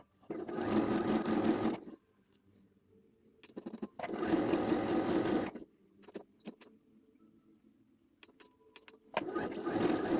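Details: Janome 2030QDC computerized sewing machine after servicing with spray lubricant and grease: short bursts of smooth, even stitching hum with quiet pauses, no clatter or grinding; runs smoothly.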